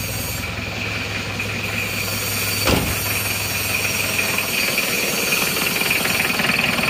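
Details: Isuzu Panther diesel after coolant leak repair, cold morning start at 29°C coolant, after glow plugs: fires immediately and settles to even, steady idle without stumbling.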